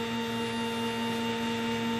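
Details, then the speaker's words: Sieg X2 mill CNC-converted (CNCFusion-style ball screw kit) with NEMA 23 425 oz-in closed-loop steppers: after cleaning and oiling the ball nut, new motor-mount bearings and alignment, the Z axis jogs at increased speed with a steady, even stepper whine, no grinding, much quieter and healthier. "runs again lot quieter a lot healthier sounding"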